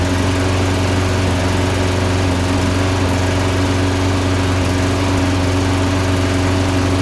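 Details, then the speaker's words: Toro Recycler Briggs & Stratton mower, misfiring since new in 2012, plug carboned, high-altitude jet fitted, testing a plug one heat range hotter: steady drone with uneven stumbles, intermittent misfire, little improvement over the NGK plug. "well not a significant improvement so i'm gonna go back to the ngk"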